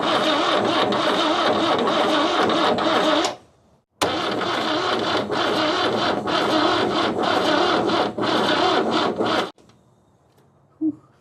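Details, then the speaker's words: 1969 Toyota Corona parked 33 years, full 12-volt battery, has compression, spark and oil: the starter whirs slowly for several seconds, pauses, then cranks five more seconds, but the engine never fires; cranking sounds weak. "It's got spark. Boy, it sounds bad. That's a full battery too. It should be cranking over like zzz. Yeah, it ain't even trying to"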